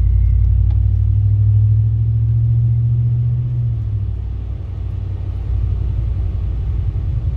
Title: grinding sound in my truck